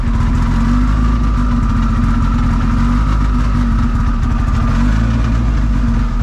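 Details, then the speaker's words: Drag car idling with a loud lumpy idle and a steady mid-pitched whine over it. The transmission has straight-cut gears; the owner suspects something is wrong with the transmission, unconfirmed. "Can't be any worse than I mean, don't get me wrong, GeForces make noise that they're they're inevitably that that that's what they do. Yeah. Well, yeah. They're, you know, they're straight cut gear."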